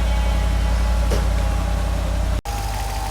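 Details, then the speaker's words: Mercedes SL55 AMG on a lift, hood open, warming from cold at idle: loud steady tick about three to four per second, not from the top (owner first suspected a lifter) but from below; failing AC compressor, later replaced. "so I don't know if you can hear it but it's making a loud tick tick tick noise it doesn't sound like it's coming from the top"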